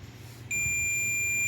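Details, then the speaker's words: Mobile phone ringer/speaker removed and tested with multimeter in buzzer mode, probes on its two terminals: steady high continuity beep holds without wavering, meaning the ringer coil is good. "ठीक है friends, तो देखिए यहाँ पे लगाने पे beep मिल रही है, यानी कि जो हमारा रिंगर है वो सही है।"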